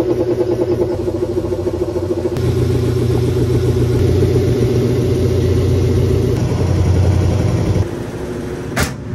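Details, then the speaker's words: Washing machine whose lid switch broke from an unbalanced rug load gives a steady, even spin drone with no thumping or banging, running smoothly after the towel and rug were rebalanced. "so it's handling it a little bit better now that I kind of balanced the towel and the rug out"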